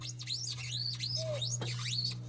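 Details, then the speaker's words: Craftsman hydrostatic mud mower with Tuff Torq K46 welded locker, fitted with rims from a Peerless 800 transmission with extreme offset; repeating chirpy squeals two or three a second over steady engine drone as the tire rubs every frame bolt, fix planned: swap tires side to side. "that noise is the tire rubbing against every bolt on the side of the frame."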